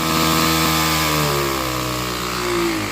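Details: Troy-Bilt TB6044XP four-stroke trimmer after a full overhaul: revs hard and steady, pitch holding then easing slightly, no misses or knocks; normal revving.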